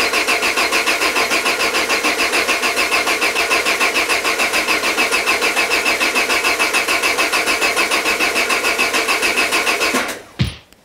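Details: Peugeot 205 with Solex carburettor just refitted: even cranking at about three and a half turns a second for ten seconds, never firing; big vacuum leak from an open port starves the carburettor.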